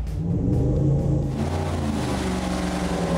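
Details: Rebuilt AMC 304 V8 from a Javelin with new cylinder heads and added multi-port fuel injection, first start on the dyno in a cold room: it catches and settles into a deep, even rumble with regular firing and no knocking or ticking, good oil pressure.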